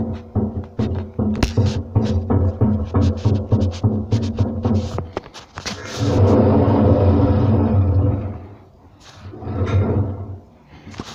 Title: Hotpoint WM74 Bearing knocking noise